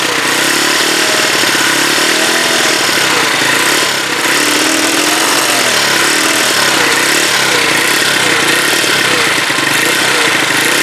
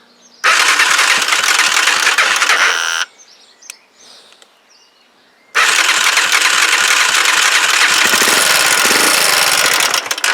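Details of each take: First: Huoniao HN125 single-cylinder, later restart with the battery on charge, to check whether it sounds better: crisp, even tick from the top end, revs swelling a little, tappets sounding quiet. Normal idle. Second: Huoniao HN125 single-cylinder, first start after engine installation, run off a jump pack: fast, tinny clatter stays constant over a busy idle. Valve tappet rattle; the owner thought the tappets were done, but they still need adjusting.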